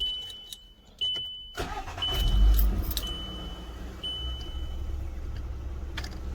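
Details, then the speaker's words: VW Golf Mk5 A/C-heater blower after repair, on speeds four and three: steady even fan rush with low rumble, no rattles or scraping; the earlier strange noise is gone, blower running normally. "so it's on four it's on three so no noise at all happy with that"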